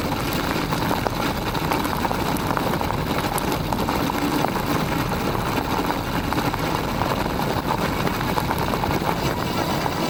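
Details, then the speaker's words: Aniioke A8 Pro Max dual-motor e-bike over rough gravel after fixing the clunk (stem tightened, shocks adjusted, foam pads glued around the controller): steady tyre crunch and wind, no clunks; the shock may still bottom out on hard hits. "I'm going to call that a successful fix though I still May bottom out the shock if I hit something hard enough"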